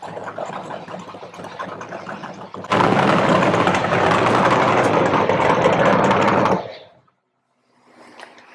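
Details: 1970 Chevy Nova SS funny car with a 540 big-block and twin turbos, no nitromethane: loud, lumpy idle pulsing about three times a second then cutting off; owner says it is wounded, suspects a valve-train issue.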